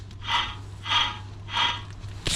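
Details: Alfa Romeo Mito rear wheel bearing, old hub hammered out: dry gritty rasp swells three times as the hub is turned by hand. Worn wheel bearing noise, replaced along with rear brake disc.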